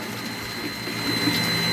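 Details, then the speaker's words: Water pump with press control after repair, pressurizing against a closed tap: a steady motor hum and whine builds evenly without stutter, with no constant on-off cycling. The pump is working normally. "Let's turn on the pump and we're going to close the valve so that it pressurizes the system and let's see now if the pump is going to turn on and off constantly sucking the water."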